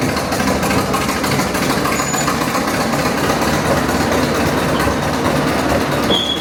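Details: Caterpillar Diesel 70 crawler, after three years of restoration (leaks, welding, oil pressure work), creeping on its first slow lap in decades: steady, even diesel clatter with no knocks, misses or hunting; engine running healthy.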